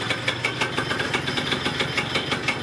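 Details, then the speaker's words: Yamaha Neo's 50 scooter, 50cc two-stroke, first start in years after service (fuel filter checked, fuel and vacuum hoses, air filter, spark plug and 2-stroke oil replaced): steady, even idle with light regular popping about six per second and no stumbling. Starts, runs, sounds pretty good. "great news it starts it runs it sounds pretty good"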